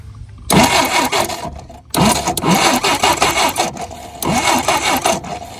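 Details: 1967 Jeep CJ5 off the road 23 years, after fitting new points and condenser: three bursts of steady even starter cranking without catching, checking spark; good spark now confirmed.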